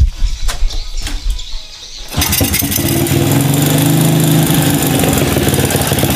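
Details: Honda Supra 125 motorcycle: starts on second try and settles to an uneven, slightly lumpy idle; mechanic suspects leaking valves, unconfirmed.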